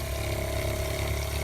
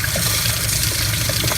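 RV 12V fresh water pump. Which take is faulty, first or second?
first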